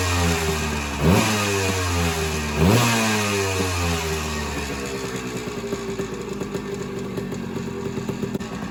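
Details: Suzuki PE175 two-stroke after FMF silencer install, in garage: two sharp throttle blips rise and fall cleanly, then crisp even idle; not much different from stock; normal running.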